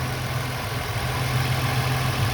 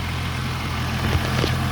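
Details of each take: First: 2001 VU Holden Commodore Ecotec 3.8L V6, hot after swapping the 82°C thermostat back to a standard 90°C one for poor fuel economy, no leaks, temperature gun reading 84: steady, even low hum with no knocks, misses or surges, a normal warm idle. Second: 2001 Holden Commodore VU Ecotec 3.8L V6 at warm-up idle after thermostat swap to standard 90°C unit: steady low idle with faint light ticking unchanged with idle; noisy lifters/tappets, owner says always noisy but never problematic.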